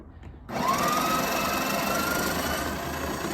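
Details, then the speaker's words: Breville Barista Express grinding about 17 g of fresh coffee beans with cinnamon added: steady buzzing whir that gets a little quieter toward the end as the beans run out, normal grinding. "see how it got a little bit quieter that means that your beads are all gone"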